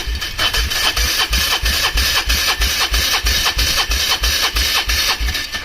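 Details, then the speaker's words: Polaris Trail Boss 330 quad cranking over to check the fuel pump: even starter cranking at about three compression beats a second with no firing; the fuel pump shows no pumping power. "well doesn't appear to have any pumping power"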